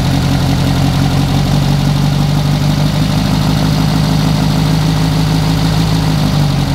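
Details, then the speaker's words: Renault R8 Gordini rebuilt engine restarted to warm up before carburettor synchronisation and an ignition advance check: a smooth, even low idle with a steady hum and no knocks or misses, settling into its rhythm. Normal warm-up idle. "mais là au vu du bruit de fonctionnement je pense qu'on est plutôt très bien"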